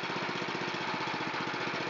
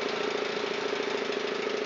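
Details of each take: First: Honda GX270 on a NorthStar water pump after carburetor cleaning, started with choke and full throttle: single cylinder putting along at an even steady beat about twelve pulses a second; clean, stable idle. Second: Honda GX270 on a NorthStar water pump, long unused, old fuel, running on choke: rough uneven running, speed sagging and sputtering out; dies with choke off, idle circuits and probably main jet clogged.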